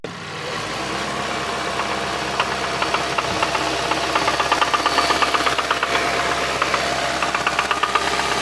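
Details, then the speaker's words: 2017 Hyundai Santa Fe running: fast, slightly uneven ticking knock about three per second; owner describes the valve banging against the head and a knock from the engine, possibly why the car was traded in; cause unconfirmed. "that is definitely a cam sensor that's a knock coming from the engine"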